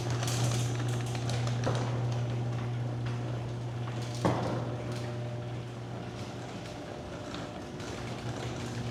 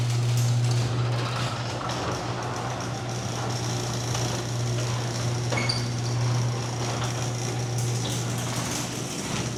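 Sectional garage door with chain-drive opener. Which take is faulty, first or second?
second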